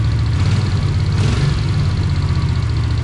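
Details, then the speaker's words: 1982 Honda GL500 Silver Wing after a valve adjustment, with no valve rattle left: a low idle with an uneven, lumpy beat. It runs rough, and the owner suspects carburetor issues and plans to run cleaner through it first. "not real happy. We'll try running some cleaner through it first."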